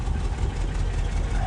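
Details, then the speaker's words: 1967 Lincoln at idle after exhaust leak repairs, crossover pipe clamp still to retighten: short, quiet, steady exhaust note with no puffing or ticking from leaks; sounds healthy. "I really like how quiet it is okay so I feel good about the exhaust"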